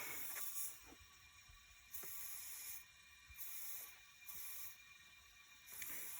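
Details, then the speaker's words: Subaru STI boost leak test, engine off, intake pressurised after new intake manifold and clamp adjustment: soft hiss in short bursts about every second; bypass valve hose still leaking, plus small leak on back of bypass valve. "bypass valve hose just does not want to stop leaking here's another little tiny leak on the back side of the bypass valve"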